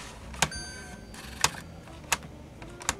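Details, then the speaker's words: Secondhand Canon Vixia HV40 HDV MiniDV camcorder: sharp mechanical clicks about once a second, unevenly spaced, over a quiet hum after the tape threaded and stopped; transport jammed, cassette won't eject, and it later chewed the tape. "we're making progress it actually threaded the tape this time and then it just gave up are we not going to eject the tape now come on nope this isn't good"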